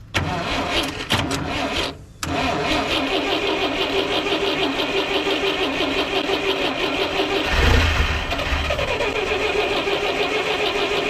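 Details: 1958 Lull telehandler/cherry picker after 15 years parked, carburetor with no linkage: cranks and catches in ragged bursts, cuts out, then runs unevenly; catches then quits, carburetor fuelling suspected, not confirmed.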